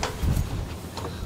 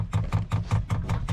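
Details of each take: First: Diesel heater on an Etap 30 sailing boat, fuel lines now primed with diesel and the heater lit: soft, regular, light ticking over a low hum; the pump has quietened, normal fuel pump ticking. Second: New diesel heater being installed on an Etap 30 sailing boat, dosing pump priming fuel before the lines are full: loud regular bangs about five a second, each a sharp low thump with a ringing tail; an obnoxiously loud banging pump, may need replacing.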